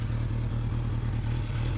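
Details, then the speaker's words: 1988 Yamaha FZR 1000, carbs rebuilt with larger Dyna Jet needles, Mikuni pilots adjusted, 3D-printed velocity stacks, new higher-flow fuel pump; after hot start, walk-around sound check: steady even four-cylinder idle, smooth low burble, no knocks; normal running. "This thing sings. Does that sound good?"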